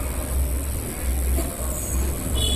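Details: Sony Vision 14-inch CRT TV, standby indicator lit but the set won't turn on, sound heard with the set opened: a thin, very high-pitched whine over a low steady hum while the set stays dark.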